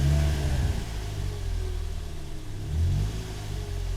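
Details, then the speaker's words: Toyota Yaris one month after a 1ZZ throttle body swap, parked at 0 mph: quick throttle blip gives a clean rev rise that drops straight back to a steady idle without hunting; normal throttle response. "uh yeah the throttle position here so i just blip it real quick"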